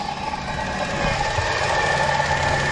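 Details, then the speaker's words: Light, quick valvetrain-type ticking rides over a steady idle and keeps pace with engine speed, now with oil in the engine; owner suspects a lifter tick or small exhaust leak, no fuel smell; car also hesitates under load in gear, air-leak code stored. "All right, this time it has oil in it, but I want you to listen. That little ticking noise, I'm not exactly sure what it is."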